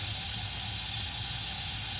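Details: 1960 gas furnace after relighting the pilot and confirming the thermocouple works: steady, even roar and hiss of the main burner with no popping, flutter or surging; flame running normally.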